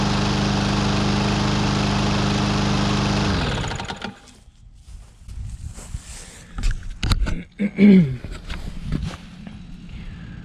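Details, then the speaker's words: Husqvarna AWD mower with Briggs & Stratton 625EX engine, pulled from landfill, after cleanup and tune-up, fully cold start after sitting hours, little gas: steady, even note without surging or misfire, then shuts off; normal running. "Well, it's been sitting for a couple hours now, and I just wanted to get another cold start on it. So we are totally cold."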